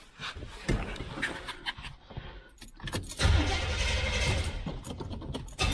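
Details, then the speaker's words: 1971 Corvette C3 V8, first start after QuadraJet carburetor rebuild: handling clatter, then catches and settles into a steady, fast idle, a little high. "right a little high it's supposed to be your island about 1800 rpm"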